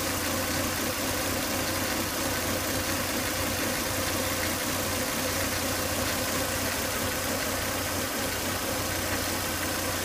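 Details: Volvo S80 2.5T: after 10–20 minutes running, faint steady whine with hissy edge over even idle, high vacuum sucking hard at oil cap; excessive crankcase vacuum, solved by replacing breather box/filter.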